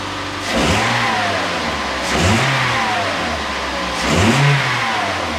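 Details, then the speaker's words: 2008 Toyota Yaris after exhaust manifold flange leak repaired with bolt-on split flange clamp: three clean throttle blips rising and falling smoothly, no puffing or ticking; exhaust sounds sealed and healthy. "Sounds like a Y should. Let's hope it holds out and ends up being a permanent fix."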